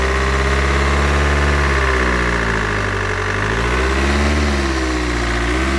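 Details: Mercedes W211 E200 CDI, OM646 diesel, at idle: a fast, fairly regular metallic rattle at about three per second. Air filter box and hoses checked OK; owner suspects an intake issue. Engine rattle, source unclear.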